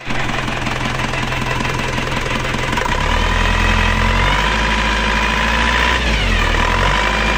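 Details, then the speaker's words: Rough, unclean diesel idle with a droning whine rising and falling with revs on an AE 1558 engine, just after engine removal and replacement of two timing gears; mismatched timing gears cause the whine, whereas before repair it ran smooth. "setelah kita bongkar mesinnya mesinnya hidup malah kasar suara suaranya itu bunyi enggak enak seperti kotor-kotor itu suaranya itu seperti ini jadi suaranyaedenging denging dengung suara enggak bersih kurang halus"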